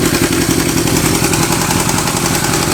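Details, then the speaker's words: Kawasaki Z650B restoration, started with a bit of choke: steady even idle, smooth fast exhaust patter, no misses, knocks or hunting; now running well. "let's see a bit of Choke yep yeah yeah yeah it's running well now"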